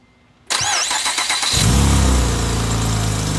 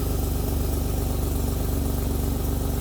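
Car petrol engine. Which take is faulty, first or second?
second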